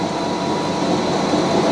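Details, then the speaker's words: Fisher & Paykel washing machine running a normal load: a steady, even whir with a faint high whine from the drain pump, not the bearings; normal drain pump noise before a spray rinse. "that noise that you're hearing is the pump"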